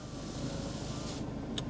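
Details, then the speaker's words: 16-year-old diesel Ford Fiesta at idle, no warning or engine lights on: quiet, even idle with low steady diesel clatter, nothing irregular; engine sounds fine. "Engine sounds all right. We've got no warning lights on, no engine light on."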